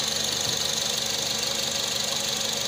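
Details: Nissan Serena at idle after a no-check-engine-light intermittent misfire on cylinder number two was traced to a bad spark plug and fixed by replacing it (coil was firing): steady, even idle with smooth hiss, no skips; all cylinders firing.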